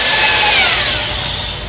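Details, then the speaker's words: Honing an EMD locomotive engine cylinder liner with a drill motor (rated 345–500 rpm) at about 30 strokes a minute. High, even whine with falling pitch and no strain means the hone stones are too loose and the tool needs adjusting. "As soon as you start hearing the drill motor spinning without any strain on it,"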